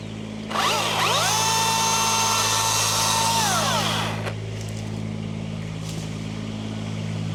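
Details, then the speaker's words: Chainsaw on a maple-pruning tree job, first of the season, revs quickly to a high steady scream through the cut, then drops back to an even idle; sounds normal and healthy. "Yeah, I was gonna say it sounds normal. I mean, I guess we'll see how long it lasts."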